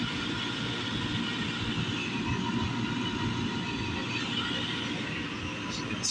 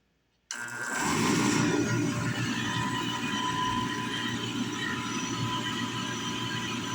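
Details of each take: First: Valiant oil burner on a home furnace after service: even, steady roar with no pulsing, puffing or bloop; flame even, burner running normal. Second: Valiant oil burner after service with the bleeder open: the burner motor spins up to a steady hum with a fast rough hiss and sputter as air purges from the pump.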